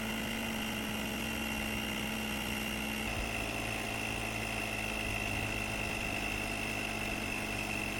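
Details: Lithium jump starter's built-in tire compressor inflating a deflated tire from 3.2 PSI toward a 35 PSI setting; a constant buzzing drone with a steady high whine, no surging or rattling, so it is pumping normally.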